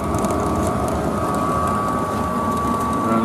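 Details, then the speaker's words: Heil DC90 gas furnace after replacing the failed, increasingly loud draft inducer motor (OEM Fasco 7021-8918) with Fasco A170: fires right up, quiet steady blower hum with faint even whine, no rattle; far quieter than the old one. "and holy cow is it way quieter than running good I wish I had some video of what the old ones are like you could hear it running in the whole house but this is amazingly quiet fired right up"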